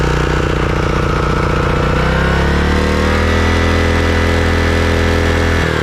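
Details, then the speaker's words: Craftsman riding mower engine after replacing completely clogged carburetor that caused surging: steady even note, speed holding firm with only a small settle partway, no hunting or surging; normal running. "so okay well it looks like it was the carburetor all along"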